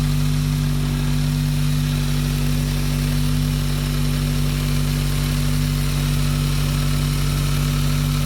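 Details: Turbo engine after fixing a loose PCV hose, coolant lines and Perrin sump restrictor and cleaning the MAF, while chasing a misfire: steady, even idle with a smooth low drone, no misses or stumbles; normal idle.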